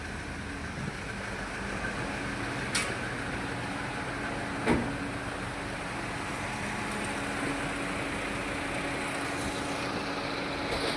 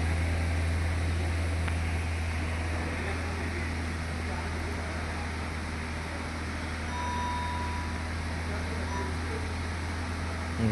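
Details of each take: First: Toyota Etios Liva, check engine light on, misfire codes on cylinders 3 and 4: uneven idle with a faint irregular stumble under a steady hum; misfire shown on cylinder 3 when checking cylinders one at a time. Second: Toyota Etios Liva petrol engine idling steadily with no stumbles after all four spark plugs were replaced; earlier all-cylinder misfire counts and check engine light, now scan shows zero misfires.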